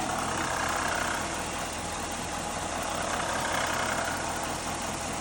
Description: This is the sound of a bad water pump on a 5.7 L Hemi.